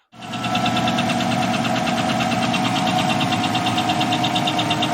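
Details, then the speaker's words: Chevy 5.3L LS truck engine example: steady idle with a light, fast metallic ticking on top, about three per second; hydraulic lifter tick. "so let's listen to a video now of true lift your tick and train your ear to the sound of it and compare to what you have"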